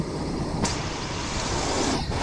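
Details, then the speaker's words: 1979 Ford Pathfinder Quadravan 4x4 V8 just after fitting new carburetor, still needs tune-up and has some vacuum leaks: steady even idle with no miss or knock under wind rush; normal idle. "That sounds pretty good. I like it a lot. Sounds real good."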